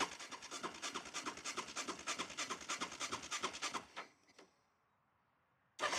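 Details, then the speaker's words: 2006 Yamaha Raptor 700 ATV, apparently ridden without an air filter, no check engine light: fires in uneven, stumbling pulses, dies and restarts; rough, iffy start and idle, owner suspects it needs new gas. "Starts up a little iffy. Maybe needs new gas."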